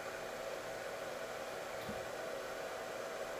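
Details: Cellpro PowerLab 8 charger regeneratively discharging lithium EV cells at 30 amps down to 2.5 volts for bottom balancing: soft, steady airy fan whir at constant speed, no ticking or rubbing; cooling fan healthy.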